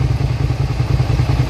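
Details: 2003 Suzuki SV650, warm with a new radiator, idling with a steady, even low thump and no knocks or misses. The cooling fan cycles, with temperature fluctuating around 210-217. Normal idle.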